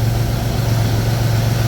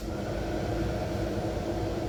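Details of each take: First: Pontiac Fiero after A/C recharge: steady, even low hum at idle with no on-off cycling or rattles; vents about 30°F below ambient, compressor running normally. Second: Pontiac Fiero idling during AC recharge with gauges on: quiet idle, then louder heavier running and engine bogging as compressor kicks in and low-side pressure drops; compressor short cycling from low refrigerant.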